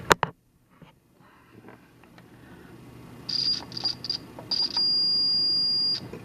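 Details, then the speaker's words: Continuity test on a Variac panel setup, probing the Variac case and panel. A few short high chirps, then a steady high beep lasting over a second: solid continuity, confirming the whole panel is bonded to earth ground. "The whole panel is grounded. It's earth ground, and so that's a good thing, actually."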